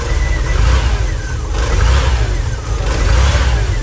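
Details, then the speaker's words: VW camper van revived after 10+ years parked, at idle with exhaust just reattached and empty catalytic converter: deep steady low rumble, gentle rise and fall, no misses or knocks; very quiet, smooth healthy idle, off-idle hesitation gone. "okay the exhaust is now attached send it oh so quiet [Music] we should tighten that too but so quiet idling"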